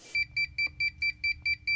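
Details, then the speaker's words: Polar UV water treatment system controller beeping fast double-pips after the UV bulb was serviced; the unit still thinks it is not fixed and keeps alarming even though it works fine. "So that beeping means that I've been sold a set of handcuffs. That beeping is the sound of my right to repair slowly slipping out of my grasp."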